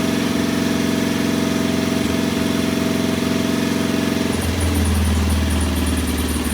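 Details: Norton P11 vintage British twin at first kick-start after a full carburettor strip and fresh gas: slightly uneven idle beat changing note as mixture is adjusted; one pilot jet isn't following adjustment like the other side's, to be cleaned again.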